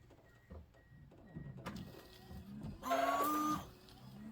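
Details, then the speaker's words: Newly installed replacement windshield washer pump, after the hoses were checked: quiet room, then a short clear half-second electric whine as the pump runs and squirts; it was probably just not primed at first; normal operation. "Okay, that one's squirting. It just never got up there, I guess."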